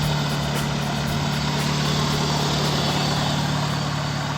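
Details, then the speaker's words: BMW E36 318 that would not start: spark was present but the pump delivered no fuel. After a part was replaced and petrol was added, the engine started and settled into an even, steady, smooth idle with no knocks or misses. Normal idle. "давай всё завелась ничего так"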